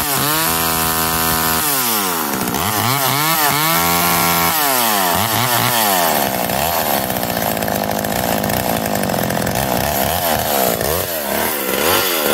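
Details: McCulloch Eager Beaver 2.0 chainsaw after rebuild, spark arrestor back on, probably warm, run to burn off old gas: crisp two-stroke revving, pitch sweeping cleanly with each blip, then steady running; healthy.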